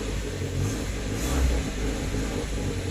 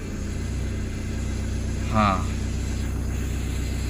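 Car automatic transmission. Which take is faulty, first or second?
first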